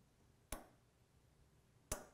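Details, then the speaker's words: Early Ford Falcon horn relay, grounded to sound the horn with 12.43 V measured at the horns: two crisp single clicks about a second and a half apart on a quiet bench; the relay works fine. "That lets you know that the relay is functioning fine. I'm not going to replace it because it ain't broke."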